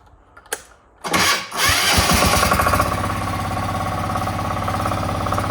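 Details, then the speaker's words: Diesel snowblower on electric start with a fully charged 800 CCA battery through a 100 A plug on 6-gauge copper wire, warm morning of about 8–9°C: a short crank, fires within a second and settles into an even diesel idle; normal quick start. "anyway this is a bit of a warm morning it's only I think it's 8 or 9° C so that's why I started so quick and also fully charged battery"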